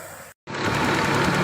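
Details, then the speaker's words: Proton after throttle body cleaning and reinstallation, started up: steady, even idle hum with no misses, knocks or hunting, settles right away with normal idle speed; normal idle. "หลังจากติดตั้งนะครับสตาร์ทเครื่องปกติเดินเรียบปกตินะครับ"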